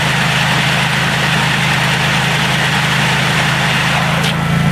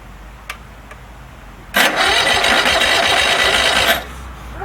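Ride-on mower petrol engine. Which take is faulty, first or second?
second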